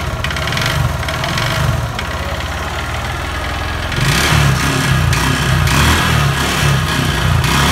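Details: Honda Verza motorcycle, before repair, owner-neglected oil changes, white smoke: rough kletek-kletek clatter and slight rumble at idle that follows the throttle, getting louder and quicker; engine knock, suspected piston or connecting rod, likely piston (later found scored).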